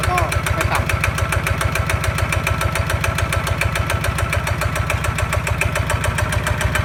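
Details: Kawama 9.5 hp single-cylinder walk-behind tractor diesel engine, new, running at high throttle; even, steady thumping with no knocks or misses, smooth and healthy.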